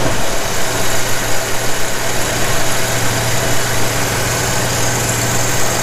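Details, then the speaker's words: 1981 Jeep CJ7 after Weber 32/36 carburetor rebuild and idle tuning with vacuum gauge: steady, even low idle with constant hum, no stumble or hunting, steady rpm gauge; normal idle. "plenty of power let's check out the rpms i mean come on steady steady what other cj do you see with that kind of steady rpm gauge huh"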